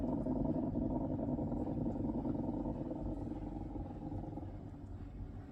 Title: BES920 Gurgling sound